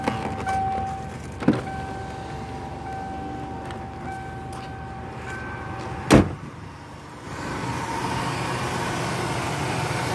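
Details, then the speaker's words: 1994 Ford Taurus after replacing the alternator brushes (alternator had been cutting on and off): a quiet, steady idle with a faint constant whine; starts and runs evenly; the ABS light is on only from a pulled fuse. "but car starts up beautifully"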